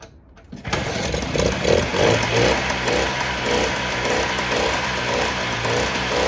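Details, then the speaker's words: 1958 Allstate (Sears) Vespa 125cc two-stroke scooter, cold start with choke after sitting about a year: catches first kick, settles into buzzy, slightly uneven idle with steady crackle; running smooth, warming up. "well that started up a lot easier than i thought it would usually it just takes a bit of time for the gas to start falling down in it but it's running smooth so i'm just gonna let this heat up for a little bit"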